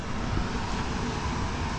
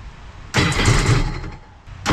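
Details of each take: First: Freshly built Sea-Doo RXP-X Pro Spec race jetski engine: short low rumble picks up into a louder burst as it catches and runs; a little smoky from assembly oil in the fresh motor, spark and fuel present, no leaks, normal start. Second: Sea-Doo RXP-X race jetski being built for Pro Spec class, with fuel pressure confirmed, cranks in three one-second bursts on old stale E85; the engine churns but never catches or runs on its own, so it is a crank-no-start on stale fuel.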